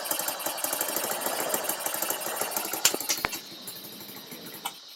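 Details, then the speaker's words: Baja Dune 150 buggy, Chinese engine, first start with idle turned up, parking brake on: fast, ragged popping, then a sharp bang and it dies instantly when given gas; stalls under throttle, owner suspects throttle needs adjusting. "Okay, it instantly dies when you give it gas. Okay, that throttle needs adjusted a little bit."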